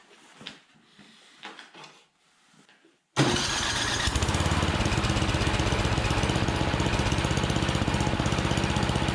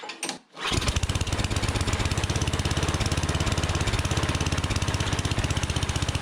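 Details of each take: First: Troy-Bilt Storm 7524 24-inch snowblower, never maintained, previously wouldn't start; after quick tune-up, electric start hooked up: quiet handling, then engine catches at once and settles into a steady, even chug, starting and idling normally. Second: Unmaintained Troy-Bilt Storm 7524 snowblower that wouldn't run on gas: after a brief crank it catches on starting fluid and runs at a steady rapid chug, confirming a fuel issue; carburetor to be cleaned.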